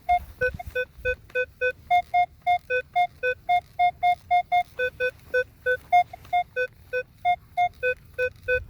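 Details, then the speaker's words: Minelab Equinox 800: steady two-note beeps about four per second, with pitch and VDI number the same on every sweep. This is a clean repeatable target, a penny about three inches down. "all the way around the vdi number is staying the same but again i'm not paying too much attention to the vdi number i'm listening for that good clean tone"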